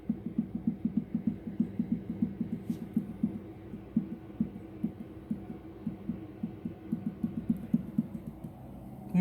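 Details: Opel Vectra A front strut Monroe gas shock cartridge, 30,000 km, no leaks, removed and pumped by hand: rapid dull knocks about four a second, internal knock persisting after new Lemförder bearing.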